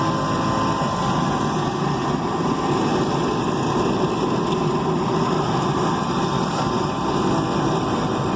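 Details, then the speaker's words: Rooftop HVAC unit, opened up after a reported noise at startup, restarted: a constant, even rush of air from the blower and inducer with no rattles, squeals or bangs. Nothing unusual is heard; it runs normally. "Let her fire up again. See what she does. At this point, not really hearing anything out of the way. So I think she's going to be okay."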